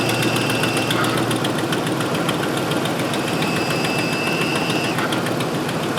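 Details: 2005 Ford F-150 FX4 with finned power steering cooler (tow package), after replacing the cooler-to-reservoir return hose and refilling with Mercon V: engine idles evenly, only a faint steady pump tone that fades, no groaning or moaning; power steering sounds normal, no leaks.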